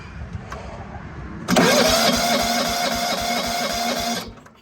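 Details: John Deere 165 Hydro lawn tractor with sporadic spark, cranking with a new cheap Amazon igniter chip and spark tester hooked up: steady starter churning at about four pulses a second that never fires, then stops; no spark, open ignition coil.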